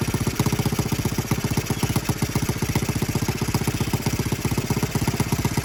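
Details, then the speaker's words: Honda Z50R after restoration and valve adjustment, first start with muffler fitted: small single idles with a quick, even puffing beat and a faint ticky hiss; exhaust gas leaking at the cylinder head cover, whose bolts were only finger-tightened. "so no more leaky and no more gassy leak gone again if you couldn't hear it when i when the bike was running i had when we did the valves and i put the cylinder head cover back on i just finger tighten them"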